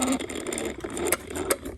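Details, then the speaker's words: Baygen Freeplay wind-up radio, wound with the belt removed: a fast rattling whir with ticking clicks dies out within two seconds as the spring releases all its energy at once; the owner suspects missing belt resistance, possibly also a faulty pawl. "without a belt on it it's losing it so so this has to have some resistance"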